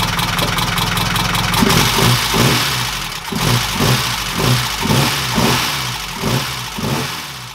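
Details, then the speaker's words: 1969 Ford Capri engine before valve clearance adjustment: revving in rising and falling bursts with a loud metallic rattle like a sewing machine or bag of spanners from the cam followers; clearances were then adjusted and it ran quieter. "freaking noise from the cam engine sounds like a sewing machine but you're right it does sounds freaking awful had I listened to the video I did yesterday and it rattles like a bag of spanners"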